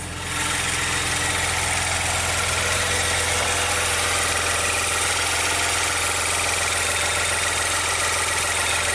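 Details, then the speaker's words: 2016 Maserati Ghibli twin turbo after new timing chains, engine covers off: a smooth idle with a bright, even buzzing tick on top, which the mechanic suspects is the high-pressure fuel pump left undampened without the cowl. It runs great, nothing abnormal. "Yeah, I'm sure that's it. And it runs great. Just like expected."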